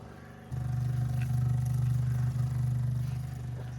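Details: 1971 MGB that sat behind a barn about 20 years, with a fuel can feeding the system and battery hooked up: steady low, even starter churn, roughly three and a half turns a second, never catching; cranks but won't start.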